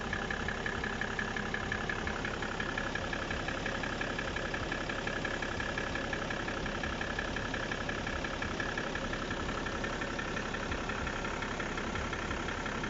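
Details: BMW E60 535d diesel at steady idle: regular light knock, roughly two per second, over the diesel clatter; engine knock at idle, source not pinned down.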